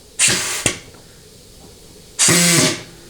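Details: Ford C6 transmission, bench case air check during an overhaul, governor circuit: two short sharp hisses of shop air, each cutting off cleanly with a click. The governor valves move freely and seal; normal.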